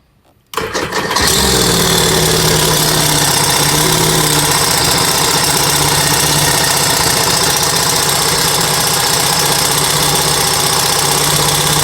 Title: Seadoo RXT 2008 215 engine noise issue